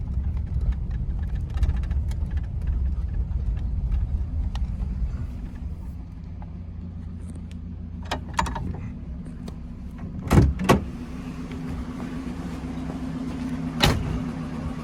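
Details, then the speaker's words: Restored 1950 Packard Eight Touring Sedan, 30,356 miles, 138 hp flathead straight-eight, Ultramatic Drive, after a drive at about 60 mph: low soft even hum, no ticking or knocking, a few clicks and thumps; smooth healthy engine. "you can hear the motor is just humming it's just a super super smooth quiet running and driving car"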